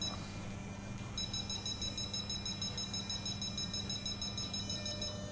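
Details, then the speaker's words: Futaba CGY760R helicopter gyro setup, rudder servo with the stick held over and travel raised: a steady low growl under quick beeps as the servo strains past its linkage travel; the number is lowered to stop it. "Again, the servo started to growl, so I will continue to lower the number."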